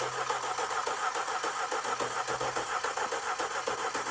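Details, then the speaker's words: 2012 Audi A5, no-start after client replaced spark plugs and Duralast coils: starter cranks about three and a half beats per second with lopey, uneven cadence and no firing; broken, wire-tied coil connector found, cause not confirmed. Uneven cranking. "Let's listen to it. This thing had a little bit of a weird cadence."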